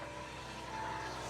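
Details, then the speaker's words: Audi RS5 described as broken, first start in a long time: short burst of even, steady engine note with no knocking or roughness; engine running normally. "she's alive she's is alive guys oh man all right cool let's lock her off anyway she is alive we'll give a little bit of a rev actually"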